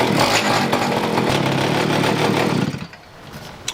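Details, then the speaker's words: Pocket bike two-stroke, carb being tuned: buzzy note stumbles, loses revs and dies after about 2.5 seconds; runs lean, not getting enough gas, mixture turned richer; choke pulled out too soon; stalls after start. "That's weird. Doesn't seem to want to start. Turn in the fuel mixture a little bit, see if I can make it a little bit more rich. It sounds like it's not getting enough gas."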